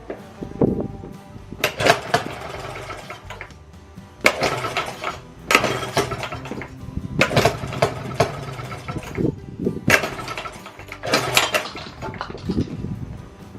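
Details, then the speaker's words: Circa-1920s Maytag two-stroke washing machine engine, said to be rebuilt, first run after 5+ years sitting: sharp firing bursts every second or two with quiet coasting gaps; healthy hit-and-miss running. "Let her get some run time and get the condensation out of her after sitting all these years. Thing runs pretty cool."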